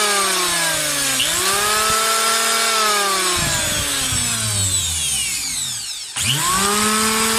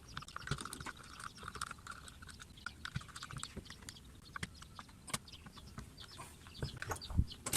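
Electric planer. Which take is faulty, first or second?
first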